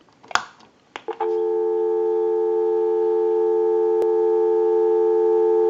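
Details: Repaired and converted wooden JYDSK wall crank telephone, final checkout: a couple of clicks, then steady clean two-note dial tone holding evenly; normal dial tone on the line.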